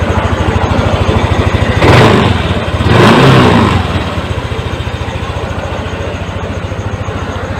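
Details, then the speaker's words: Yamaha NMAX that would not start, error code 19 side stand fault from alarm system; after repair code cleared; engine fires, settles into an even putter, two throttle blips rise and fall cleanly; normal start and idle. "Setelah kita lakukan perbaikan, kita coba nyalakan mesinnya."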